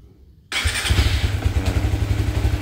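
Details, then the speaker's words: Motorcycle with Aracer Mini X ECU, TCI driver and Power Up, set for easy starting: engine catches immediately on one starter touch and settles into steady, even idle with no hesitation. "Iya sekali sentuh ya kan gak perlu lama"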